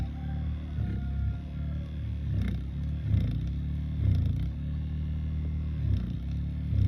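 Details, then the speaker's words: Tesla Model S (2017 part) cabin blower motor running, with lubrication of the bushings planned; steady low hum and even drone, no squeal or rubbing, normal. At speed 1 it barely turns and shakes. "нормально, короче, працює."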